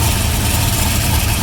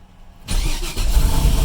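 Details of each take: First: Engine that previously wiped its thrust bearing, at warm idle: raspy, chuffing exhaust leak with valvetrain/rocker arm noise; the earlier bad noise is gone, but thrust bearing still to be checked. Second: GM LS turbo engine, after previous thrust-bearing wipe and tinny rattle at idle: starts quickly and idles evenly, rattle gone, only typical light rocker-arm valvetrain ticking, an exhaust leak and a loud cooling fan; normal start and idle.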